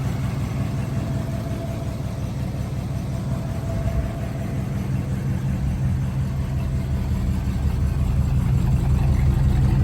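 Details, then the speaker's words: 1955 Buick Special Riviera, one owner, 264 V8, automatic, at idle: steady even low burble with no misses or ticks; runs sweet and smooth, healthy. "Runs really sweet, nice and smooth."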